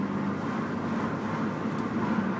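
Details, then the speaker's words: Mitsubishi Galant VR4 test drive, gears shifted manually through the gate going up from first to fourth: steady engine drone pulling evenly with no slipping, knocks or grinding; normal acceleration. "As you can see, it works perfectly well. Much quicker than a lot of cars,"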